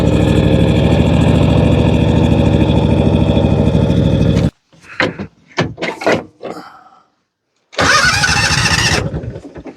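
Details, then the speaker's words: John Deere 757 Z-Trak zero-turn mower after a new starter, choke on: it is very hard to start, skips, runs briefly then dies, with stumbling sputters on restart. Fuel starvation was traced to a kinked fuel line in the tank. "Now she turns over, but there's another problem. It is really hard to start. When it does start, it's skipping. That's not good."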